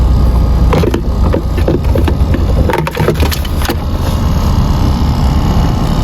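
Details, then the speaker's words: Car AC blower fan motor running: a deep steady hum with irregular scratchy crackles, from worn carbon brushes, which can stop the fan working at times; the brushes are then replaced. "මේ සද්දේ එන්නේ බ්ලෝවර් fan මෝටර එකෙන්. ඉතින් මේ වගේ සද්දය ඇහි දුවද්දි සමහරක් වෙලාවට මේ ෆෑන් මෝටර එක වැඩ කරන්නේ නැති වෙන අවස්ථාවක් තියෙනවා."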